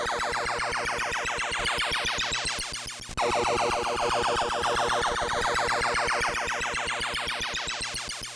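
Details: Early Williams Type 1 pinball/Defender sound board in self-test after hum-fix mods (1k pull-down to ground being removed, small gain loss): clean sweeping synth tones, no mains hum.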